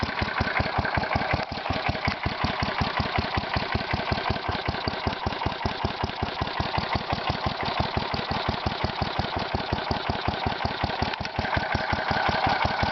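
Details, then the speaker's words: Kohler Magnum 16 hp (K361 block) single-cylinder engine for a Bolens 1256, running off the battery of a Bolens H14: slow, sharp chuffing pops at a lazy, slightly uneven idle from a leaking muffler; the idle is set too low. "Idle's really low. Yep, just running off the battery of the 1250, the H14."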